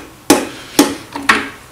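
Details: Common rail injector on the bench, driven by an MM03 mini tester at 120 V in manual press-and-hold mode: three crisp, separate clicks about half a second apart, one per energisation. Normal injector clicking, opening cleanly.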